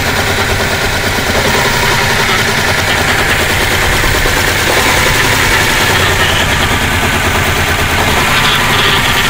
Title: 2012 Chevy Malibu rough idle and hesitation bad throttle body